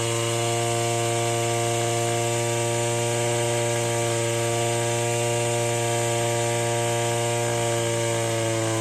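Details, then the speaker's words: Stihl FS66 two-stroke brush cutter after fresh 50:1 fuel and cleaning, H and L mixture screws being adjusted: high buzzing tone, fairly steady with slight wavering; incorrect carburetor mixture setting during tuning. "Then I'm going to let that high idle off, and then I'm going to do the same with the low idle, and you'll be able to see that exactly how that works as well, where it's kind of starves for oxygen or it starves for fuel."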